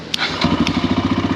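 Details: Kawasaki KLH140L single after ultrasonic carburetor cleaning of clogged jets (previously ran only on full choke): after a couple of clicks it catches and settles into a steady, even putter; normal idle.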